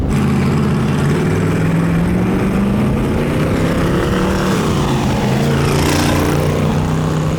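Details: Twin-turbo LS V8 in a Chevy S10 drag truck, untuned: loud, hard pull under load with a ragged, uneven drone like dead cylinders or unplugged coil packs; the ECU still assumes vacuum, so it runs lean in boost and misfires until tuned.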